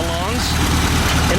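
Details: VW Super Beetle air-cooled flat-four, running after the alternator, starter and distributor were replaced and the fan was pushed back into position: an even, low steady idle with no rubbing or intake sucking noise now that the air cleaner, which doubles as a silencer, is refitted; runs smoothly.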